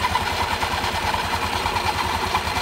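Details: Honda Beat scooter after CVT service with the belt reinstalled: a steady, even idle with a smooth belt whir and no slap, rattle or grinding; the CVT sounds healthy.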